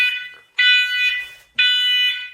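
Loud, shrill alarm tone sounding in long repeated blasts as a smoke and CO alarm runs its test.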